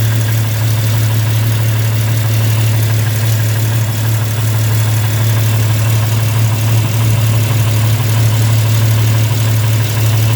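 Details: Jeep at idle: quick, even ticking about three per second riding on the exhaust note; exhaust manifold leak from a cracked manifold, later welded up.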